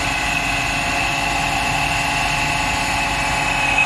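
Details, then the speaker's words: Eberspacher D3L diesel air heater, about 40 years old, from a Volkswagen Transporter, bench-tested after firing up and warming; steady loud whir with thin high whistle, abnormally noisy, owner unsure whether fan or something inside, but unit works. "course something is very noisy here i don't know if the fan or something inside it but at least we know the unit is working"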